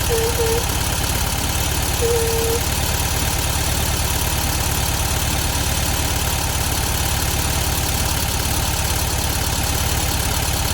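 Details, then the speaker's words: 1972 VW Beetle 1200 idling after valve clearance adjustment and new plugs, running better on four cylinders; fast even ticking over low rumble is valve train tapping, owner suspects clearances set overboard, too loose. "So you could hear the valve train noise there. Definitely think we went a little bit overboard with those valve timings."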